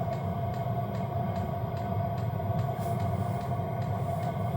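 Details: Hcalory diesel heater on gear setting 3 of 10, heater reading 230°F: steady, even burner roar with light pump ticks about twice a second and no surging. Running normally.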